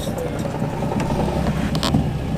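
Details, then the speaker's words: Fresh replacement engine with new lightweight flywheel, 20W-50 oil and solid engine mounts: steady, even idle with the clutch pressed and no rattle; the flywheel chatter heard with the clutch out disappears, a normal idle. "in, and it's clutch in, and the noise is gone. So nothing to worry about. Just lightweight flywheel things on these cars."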